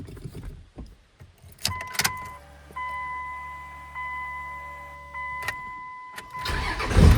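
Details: 2002 Dodge Ram 2nd-gen Cummins diesel after rebuilding the starter solenoid with new contacts: with the clutch pushed fully to the floor, the engine cranks steadily a few seconds, then fires and catches cleanly. No solenoid chattering, so the new contacts fixed it.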